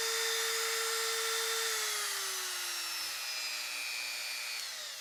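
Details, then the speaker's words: Professional Woodworker rotary tool (generic Dremel) at max speed: a high, steady motor whine easing slightly as it runs down, with a little rattle underneath and not a whole lot of vibration. "This is turned up to the max. You can hear the whining sound."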